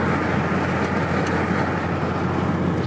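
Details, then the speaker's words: Car at highway speed, about 85 mph: a loud steady roar of wind noise, getting worse at higher speed. "is that amount of wind noise it's really really bad and I hope you guys can hear it and that even higher speed to get worse"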